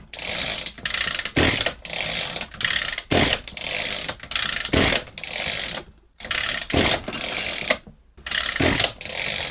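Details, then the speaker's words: Echo GT-200i two-stroke string trimmer with easy-start system, failed carburetor, after carb refit: about nine rattling pull-cord strokes in ten seconds, never fires; cranks but won't start. "It's not starting. Looks like we got to delve a little bit deeper into this."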